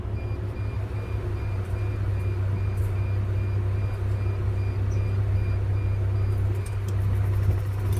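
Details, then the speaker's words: 2004 Sprinter/Freightliner 2.7L diesel after fixing a leaking high pressure fuel pump, idling about a minute: steady low rumble, even beat, no misses or knocks; no leak seen, though a leak is mentioned afterward. "[Music] so you can hear the palm pumping through it I don't see any Leaf where it was before"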